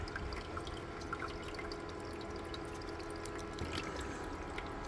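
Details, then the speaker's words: Shinil SIM-M230WS ice maker after repair, refilling for the next ice batch: a quiet, soft pump hum under steady trickling and dripping as water is drawn up. Normal water pump operation. "얼음을 또 얼려야 되니까 펌프 돌려 가지고 물을 끌어 올리고 있죠."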